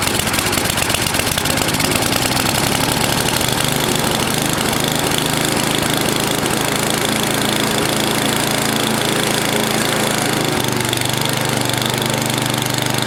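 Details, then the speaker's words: NOMA 8hp snowblower, Tecumseh-type single-cylinder, carb cleaned in Chem Clean and refitted: idles with rapid chatter, speed drifting up and down as governor hunts back and forth; bottom mixture screw fully in, carb needs tuning. "hmm well it started off good but it was searching a little bit you could see the governor right here going back and forth a little bit"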